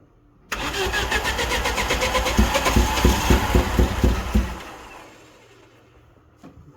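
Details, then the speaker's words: Vauxhall Nova GTE with a freshly fitted C20LET 2.0 16V turbo engine, first start: rough, lumpy running with uneven chuffs before dying; firing order wrong because the ignition leads were in the wrong places, later swapped to correct positions. "the first one you can hear the the firing orders out cuzz the leads were in the wrong place so SW them around put them in the right place"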